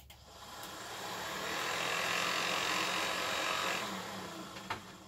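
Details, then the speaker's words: VW Squareback fresh air box blower fan, tested after refitting in its housing; spins up, holds and winds down with faint repeating scrape over the whir, fan still rubbing. "it's definitely still rubbing on something so all right how do I take you apart"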